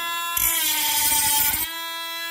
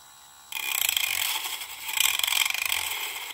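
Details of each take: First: Parkside PFBS12B3 cordless precision grinder-drill cutting plastic cable trunking at its max speed setting; settings 2–3 cut poorly. High steady whine with a rougher, louder cutting rasp for about a second; motor holds pitch under load and cuts cleanly at top speed. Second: Parkside PFBS12B3 cordless precision rotary tool on speed setting 2 of 1-6 plus max, cutting plastic cable trunking: thin high whine with ragged chatter as the disc bites; speed too low for clean cutting, cuts better at 5 and max.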